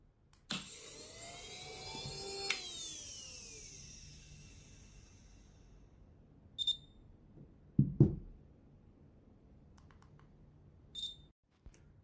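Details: Swiwin model jet turbine ECU component test of the starter: quick high whine spinning up and fading, repeated once, then faint clicks in a quiet room; starter spins freely and sounds healthy.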